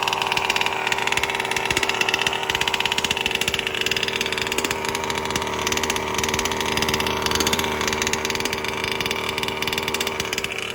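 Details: New BR 32cc piston-port two-stroke with a Bartolone end-bleed pipe, first-ever start: a fast, crisp buzz holding an even, unbroken idle with steady firing and no misses. Running healthy; low speed fattened for break-in.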